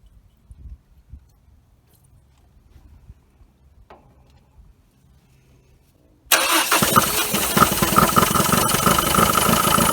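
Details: 1980 Dodge Colt Challenger, carbureted, sat 15–20 years, mechanical fuel pump fed from a gas can but float bowl not filling, fuel cut-off solenoid needing power: after quiet fiddling, engine catches and runs rough and uneven, then stalls; fuel starvation suspected.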